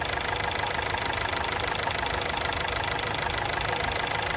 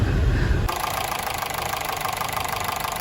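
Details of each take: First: Honda City on factory CNG, after injector cleaning and replacing two of four leaking ignition coils to fix severe stumbling: loud close-up even idle beat about three per second with no misses; idle now smooth. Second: Honda City with factory CNG, before repair, recorded at the exhaust, with severe engine shaking: constant heavy uneven thumping at idle, roughly 3–4 per second, for 3–4 days. It is a misfire; the gas system is suspected.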